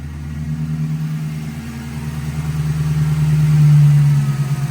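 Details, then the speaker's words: 2011 Ford Crown Victoria 4.6L V8 just after throttle body cleaning and new spark plugs and ignition coils: steady, smooth low idle with even firing, no misses, knocks or hunting, no check engine light; normal idle. "Oh yeah. Yeah, that sounds normal."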